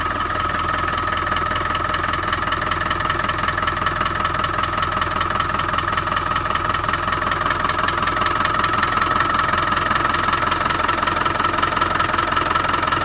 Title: 300tdi Engine Knock